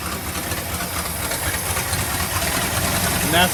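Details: 1965 Chrysler Imperial LeBaron V8, abandoned over 20 years, running on a new Edelbrock carb with a big exhaust leak. It idles fairly evenly, slightly lumpy, with no heavy knock; normal idle, wants a tune-up.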